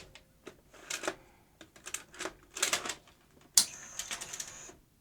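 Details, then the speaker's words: Sony UVW-1200P Betacam SP player loading a large Betacam tape: clicks, clunks and brief motor whirs, then a high whine and silence. The reel spools apparently did not move out, so it seems not to detect tape size, and the source of an odd noise is unknown. "is it not detecting the tape size properly that's odd isn't it no it's not right hmm not one thing it's another it's also making an odd noise"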